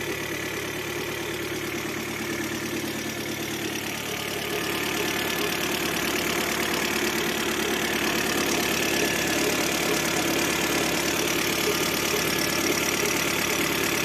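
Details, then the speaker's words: 2006 Citroen C5 1.8 petrol 125 hp at idle: steady whirring rush with a faint rhythmic tick from under the timing cover; tensioner, alternator and water pump suspected; AC compressor bearing also hums, but the water pump proved to be the cause. "z Citroen C5 2006 rok silnik 18 benzynka 125 koni się pod osłoną rozrządu słychać hałas nito napinaczem to alternator wielka pompa wody"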